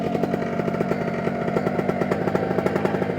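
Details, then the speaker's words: New OpenPPG SP140 V2.0 paramotor two-stroke during break-in, throttle moved to check for surge: crisp, rapid, even buzz with steady firing and no misses or surging; runs healthy. "see how I kind of bend the throttle I want to kind of move it around to see if I get any kind of surge and if I get a surge that's not too bad I may want to idle it down a little bit"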